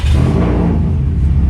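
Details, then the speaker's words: Subaru rally car with a newly built EJ257 2.5L, first start after cam break-in and coolant cycling, untuned: starts right up into a deep, heavy, slightly lumpy but steady rumble, no check engine lights; healthy idle. "starts right up it sounds really good [Music] especially once it settles into its place like that"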